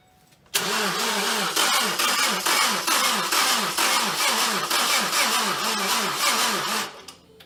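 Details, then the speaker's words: 2012 Ford Focus SE, first start attempt after head gasket job and timing work: engine spins about twice a second for six seconds, uneven laboring rhythm, never fires. Starter suspected, later found failed. "That's what I was wondering. It sounded like it wanted to turn over."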